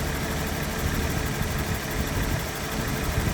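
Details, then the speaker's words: 1991 BMW 750iL V12 after the faulty coil pack was replaced and the check-engine light cleared: a steady, even low idle with no misses, knocks or hunting; normal idle. "Should run better. Might not, but it should. Sounds better. Feels better."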